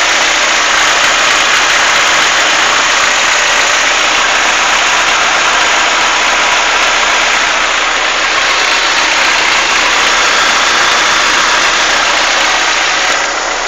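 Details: Chevrolet Monza engine at hot idle: loud, hissy running with a fast, fairly steady tick; suggested causes are lifter (tucho) tick or piston skirt slap, cause unconfirmed.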